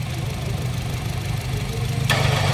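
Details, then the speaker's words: 2017 Honda City 1.5 idling: engine rumble turns into a louder, rougher drone as soon as the AC is switched on and goes quiet with AC off; troubleshooting found the AC compressor faulty, to be replaced. "So yung findings ko rito mga boss yung pag sa pag-troubleshoot natin ay compressor ang may problema yan"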